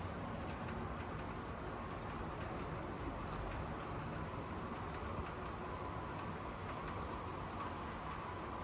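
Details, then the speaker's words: Dapol class 59 model locomotive pulling 13 JHA wagons at about 1/3 power: a steady whirring hum, louder than it should be, though it copes well; noisy drivetrain under load, cause not pinned down. "This is 13 wagons at around about 1/3 speed, so 1/3 of its power. As you can certainly hear, it's quite noisy."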